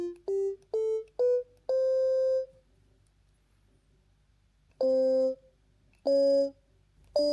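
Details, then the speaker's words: DIY ESP32 Stylophone-style synth with an I2S DAC. Short tones at rising pitches each tail off smoothly to nothing with no click; a clean release. "And as we can see, it works. In the future, I will implement a full envelope, so we will have an attack and release, but for now, it works good."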